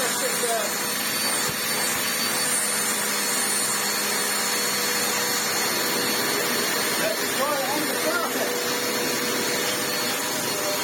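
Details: Vax Essentials bagless upright vacuum after full restoration and filter wash, moving from hose test onto carpet: steady high rushing whine, no surging or rattles, pitch holding; motor and suction sound healthy.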